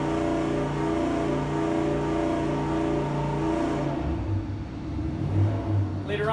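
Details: Junkyard 5.7L Hemi with Comp stage 4 cam, S475 turbo, long-tube headers, 80 lb injectors, base tune, first dyno pull around 5.3 psi boost: strong steady roar then backing off, no knocks; healthy, about 600 hp.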